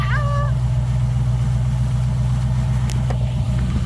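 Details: Car "Suzie" idling with a deep, slightly lumpy beat of about four pulses a second, steady and sure, after a new starter was fitted, on a weak battery. Owner says it sounds like a roller cam. It fired right up; normal idle.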